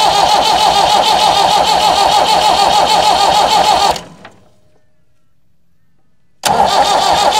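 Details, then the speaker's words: Massey Ferguson 178 diesel cane haul-out tractor, sat for years, wide-open throttle: steady cranking about 200 compressions a minute, no firing; weak diesel at injectors, injector pump or lift pump suspected; cranks but will not start. "there is diesel just starting to come through at the injectors but it's pretty weak even under Full Throttle there's not a lot coming through"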